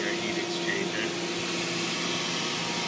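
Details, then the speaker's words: Hayward H350FDN pool heater after heat exchanger leak repair: steady blower whir and faint even hum, no rattles, then gas valve opens and ignition; normal start-up, repair successful. "and we have ignition and our heater is back up and running"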